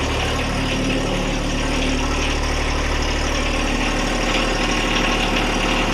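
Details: John Deere 1025R tractor diesel after oil, oil filter, fuel filter and air filter change: steady even idle at about four pulses a second with no misses or knocks; healthy idle.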